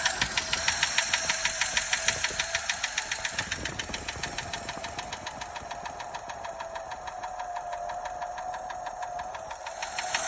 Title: 1936 Daimler Light 15, finally running… don’t like the ticking noise though.